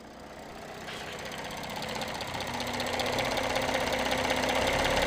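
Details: 2016 Audi 3.0 TDI diesel rising toward 1500 rpm: light metallic rattle, about four beats a second, growing with revs; suspected timing chain with a clogged or restricted tensioner; engine rattle.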